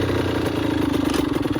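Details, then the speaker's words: 2002 Honda CR80RB two-stroke after rebuild and carburetor rejetting that cured oil blow-by and smoking; starts on one kick, crisp even low two-stroke idle with steady popping rhythm, no smoke: normal idle. "At start, one kick, very low, two-stroke idle. It's perfect."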